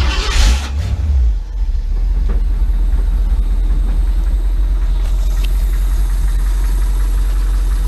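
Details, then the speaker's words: Custom Ford Bronco with Magnaflow mufflers: it catches after a short crank and settles into a steady, deep, even rumble with no knocks, running pretty good. "and actually doesn't sound bad has magnaflow mufflers on it it actually sounds like it runs pretty good"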